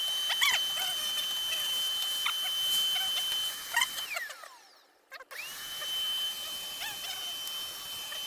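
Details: Ricoh IM C2000 copier after a grinding-noise repair that freed the gears: smooth motor whir with a steady high tone and light clicks, no grinding. It now runs normally, with the remaining light tok-tok considered normal.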